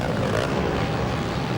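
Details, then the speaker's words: 2001 Australian MX GP 500cc race at Broadford, bike under race load: hard-revving single roaring with a coarse, raspy edge, louder than it should be; commentator says something is definitely wrong with the bike, cause unconfirmed. "But here is Evans, and let's listen. Yeah, there is something definitely wrong with that bike."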